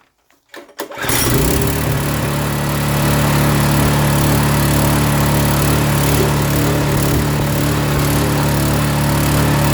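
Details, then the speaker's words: Honda-clone small engine on a pressure washer after carburetor adjustment: catches after a couple of pulls, then holds steady speed with no hunting; it previously surged badly and needed half choke. "there you go not surging anymore it was surging like crazy I had to run it on half choke before before I uh first started it"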